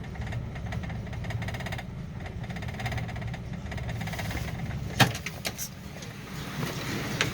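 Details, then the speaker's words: Old six idling slowly after long sitting (fuel suspected gone bad): faint regular light tapping over low rumble; owner unsure if it is a knock, says not a bad one if so. "it's got like a little i don't know if that's really a knock but a little engine noise it's not if it's a knock it's not a very bad knock"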